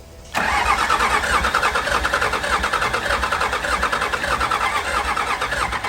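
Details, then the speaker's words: Previously blown-up Cummins burnout truck with an earlier ignition switch problem; it has fuel pressure and compression. Steady cranking, about three compression pulses a second with starter whir, but it never fires and voltage drops. "that's not good that's not good ah we just lost a little bit of voltage let her cool down for a sec"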